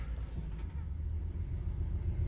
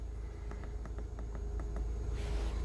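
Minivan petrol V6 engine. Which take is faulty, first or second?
first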